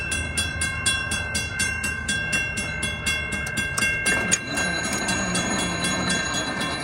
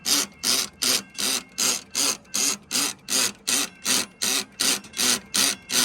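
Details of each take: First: Model 3590 railroad crossing gate mechanism after readjusting a screw: even bell ringing about four strokes a second, then a firm clunk as the arm seats and stays put; gate working properly. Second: Model 3590 railroad crossing gate mechanism: loud even rhythmic hissing pumps about 2.5 per second; loose, over-spaced bottom screw lets plate move so pawl can't hold toothed wheel and gate slides; ratchet pawl slipping.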